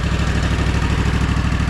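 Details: Gravely ZT HD-48 zero-turn mower, Kawasaki FR691V V-twin, before a 100-hour service: low, even thumping idle with steady pulses, no misses or knocks. Normal idle.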